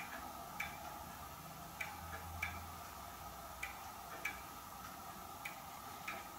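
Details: Hermle weight-driven grandfather clock movement on a homemade leveled test stand (F-350 rotor disc base), pendulum just fitted; light even ticks roughly every 0.6 seconds, steady and in beat, running normally.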